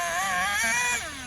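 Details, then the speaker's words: HPI Savage 25 nitro RC monster truck, first run: high-pitched engine wails and wavers freely as if unloaded, power lost through drivetrain; owner suspects slipper clutch slipping despite being tightened fully, not confirmed. "it's definitely slipping I got to check that out down D yeah we're losing all the power through the drivetrain"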